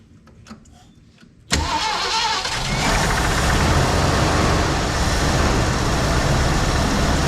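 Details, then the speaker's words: 1974 Ford Bronco V8, first start in over 16 years after fuel system work; just after a little knock with good oil pressure; lumpy stumbling idle, owner suspects one cylinder down, misfire at idle. "Not running on all 8. It's idling. Probably down 1."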